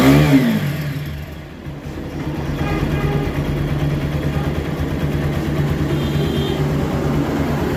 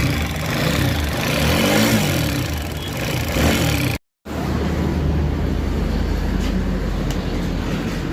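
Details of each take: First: TVS Apache RTR 4V 160 single-cylinder, after timing replacement to fix an engine sound problem: starts and settles into a smooth, even run, revs rising cleanly with no ticking or top-end rattle. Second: TVS Apache RTR 4V 160 bike: revs, then steady running with a faint busy rattle over the engine note from timing chain noise; timing chain replaced as the fix.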